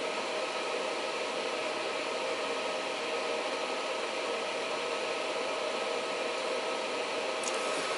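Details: Reliable Electric 800W pure sine inverter under heavy load, ramped from 700 W toward 800 W, with output dropping to about 100 V: a steady even hiss of the small fan running flat out, with a faint constant whine. Normal cooling fan operation.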